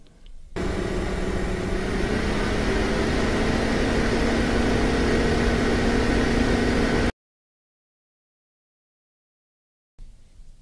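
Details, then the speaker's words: Budget AMD APU gaming PC under load: loud steady rushing fan roar with faint hum rising slightly in pitch; fans run flat out because faulty temperature sensors make quiet fan profiles hard to set without overheating. "Number one, it's extremely loud and extremely difficult to configure the fan profiles to get it quiet without overheating, just due to the fact that the temperature sensors don't work properly."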